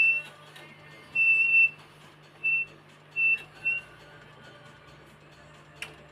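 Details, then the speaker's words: Squeal in short bursts over a low steady hum as a Pioneer Premier speaker's metal rubs against the wooden jig while re-coiling the voice coil, which had been touching the centre pole causing a scratchy noise. "that's just basically the metal rubbing on the onto the wood that's making the noise very very very annoying"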